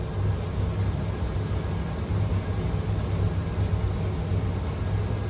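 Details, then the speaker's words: Furnace running with a steady low droning hum and an uneven throb, struggling and making a light flicker, then seeming to shake itself free after a wait; cause unknown. "I can hear it struggling a little. It's making that light flicker. But then it, if we do wait long enough, it kind of just I guess shakes itself free."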